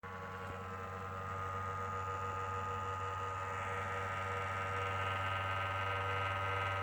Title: Why is my ps4 making this noise?